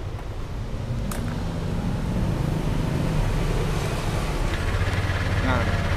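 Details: Yamaha Aerox scooter idling: uneven light ticking, roughly three or four a second, over a low drone; points to a failed camshaft bearing.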